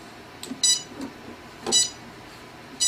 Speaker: can hear my speed controllers coming on, and you're seeing a little LED light.